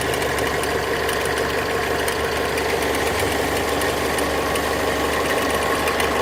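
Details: Mazda 6 MZR-CD 2.2 diesel at idle: light, regular relay-like clicking about three times a second over the clatter, more frequent with more electrical load (lamps, fog lamps); owner suspects alternator free-wheel/loose pulley, not confirmed.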